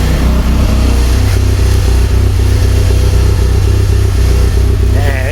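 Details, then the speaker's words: 1999 Honda Civic EK hatchback revived after sitting for years, running on a turbo-tune ECU; steady, even low rumble with no knocks, misses or hunting, idling smoothly and quietly. "thing sounds pretty It's nice and quiet. I like it. Nice and quiet. Idles pretty good."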